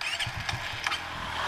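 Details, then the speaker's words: Suzuki FU150 fuel-injected, bored up to 68mm (177cc), fitted with a Kawasaki Ninja 250 mono Keihin injector, mapping not yet changed: uneven cranking with weak ragged firings, hard to start because it is wet and flooded. "agak susah nyala karena kebasahan"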